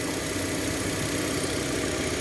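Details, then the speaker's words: Hyundai Elantra petrol engine (same fix applies to Picanto/Accent) misfiring at idle, engine visibly shaking, hard starting with check engine light; spark plugs and ignition coil already replaced without change; irregular low stumble traced to failing crankshaft position sensor. "Hyundai elantra yan So pwede rin niyo itong mai-apply sa panto accent so mamalya yung makina yan kung makikita niyo umuuga yan"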